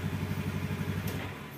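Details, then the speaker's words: Kawasaki Ninja RR with rough-sounding engine, repair attempt failed: rapid low knocking clatter at idle; piston slap from badly scored piston and cylinder block, worn too far, needs new parts. "dipasang ini atau tetap aja bunyi karena ini oblaknya terlalu parah"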